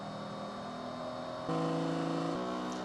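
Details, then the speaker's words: Qidi Tech X-Smart 3 3D printer during input shaper calibration: buzzing tones that hold then jump in pitch, with extra rattle from the plastic panels, likely less when printing; normal input shaper calibration vibration. "there's a lot of plastic panels in here that might rattle a little bit. I doubt they're going to be rattling this much when it's actually printing, but during the input shaper you can definitely hear it making a little bit of extra noise."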